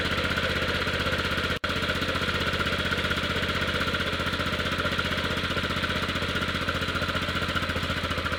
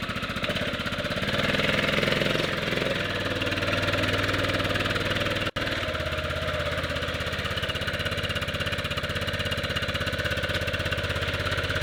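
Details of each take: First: 1998 Yamaha Grizzly 600 single-cylinder ATV after wet clutch replacement and one-way bearing fix: even steady thump, a touch rough but no knocks or misses, owner thinks choke may be on; runs normally with more power than ever. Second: 1998 Yamaha Grizzly 600 single-cylinder ATV just rebuilt with replacement wet clutch and reinstalled one-way bearing: steady idle with slightly labored uneven beat, owner says it idles a little hard, sounds like choke on; cause unconfirmed.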